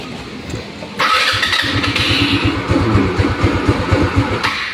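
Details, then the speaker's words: Rusi Rapid motorcycle with no idle that dies when throttle is released: fires after a second then runs rough, loping and sagging, needing throttle to stay running; dies at idle due to low compression. "patay siya ulit Ayan o kailangan pa natin siya samahan ng gasolina para umandar to's ngayon pag umandar siya pag binitawan natin to patay yan"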